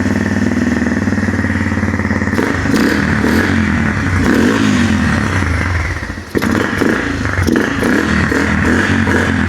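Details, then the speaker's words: 2002 Yamaha TTR 125 that sat for a while, kick-started on fresh gas: the single cylinder runs but pops unevenly and sags toward stalling, won't idle; the carburetor turns out gummed up by old gas. "So you can probably hear it, it does run, but it doesn't want to idle. So let's grab out to that carburetor and yank her out for a cleaning."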